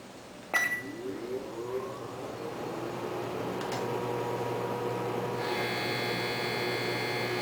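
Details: GE Spacemaker JVM1752 microwave, about a year old, at power level 5: a thump, low hum, then a harsh loud buzz cutting in and out as the oven cycles power (buzzes continuously at level 10). Transformer and magnetron were both replaced; owner believes the transformer failed.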